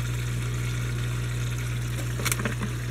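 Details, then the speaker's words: Odyssea CFS 500 canister filter pump after cleaning, priming run of about 30 seconds: steady low hum with gurgling, sputtering bursts from air still trapped in the canister; turned off to purge. "After it runs for about 30 seconds or so, then I'll turn it off and let it purge out some more air."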